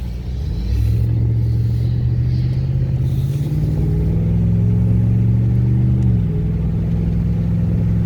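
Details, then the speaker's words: 4x4 truck on a road test after a part was refitted; the 4x4 fault was traced to a popped or broken vacuum hose: a steady low hum rising smoothly with speed, no grinding or scraping; the drivetrain sounds healthy, 4WD not yet tested. "So far it doesn't sound like anything. So far so good. Still gotta test out the 4-wheel drive, see if that still works. So far we ain't got that sound, and usually we would have got it by"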